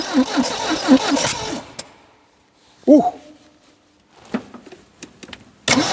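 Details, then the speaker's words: 1972 Triumph Dolomite 1850 barn find, off the road since 1990, air filter housing removed, choke seized: cranking bursts with a brief cough of firing that dies out; tries to start but won't, fueling issue suspected. "oo okay okay so we definitely got a fueling issue we definitely have a fueling issue which is good but guys what do you think it's it seems to be try to start"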